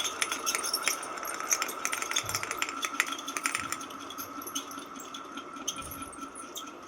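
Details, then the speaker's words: Ceiling fan running: steady thin high whine with irregular light ticking; bearing problem identified, bearing to be replaced. Ceiling fan bearing noise. "र यसमा हाम्रो जहाँ सम्म हाम्रो बेरिङको problem छ यसको बेरिङ चाहिँ हामी चेन्ज गरेर हजुरहरुलाई देखाउने छौ।"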